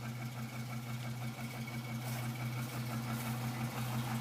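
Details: 2006 Chevrolet Trailblazer SS, LS2 V8, recently bought: engine knock at idle, a fairly regular light knock about three per second over a low drone; recorded on a cold start, owner says it isn't piston slap and it gets louder when warm.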